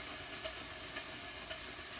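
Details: Allen Mogul live-steam locomotive run on a compressor at about 20 psi, Johnson bar in forward, with little air left. Whistle gives a thin, airy hiss with soft puffs about twice a second: weak whistle from low pressure.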